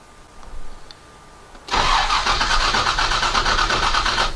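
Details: Detroit Diesel 12V92 fire truck, cold and unstarted all week, fuel pump on after three throttle pumps: about 2.5 seconds of rough, uneven cranking that never catches, then quits; cranks but no start.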